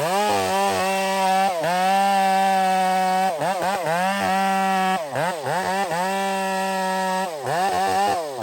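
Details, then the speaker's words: Chainsaw felling a hazard tree: revs high and steady, then pitch sags and recovers repeatedly as it bites and works hard in the wood; surging under load like a power band, cause unknown. "That saw is very strange. I feel it when it gets in the wood and starts working hard. It's like it's got a power band. If you listen closely, you can hear it."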